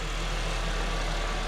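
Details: 2012 Honda Civic 1.8L just after alternator replacement: smooth, steady low idle with an even beat, no squeal or knocks. It charges at 14.34 V; normal healthy idle.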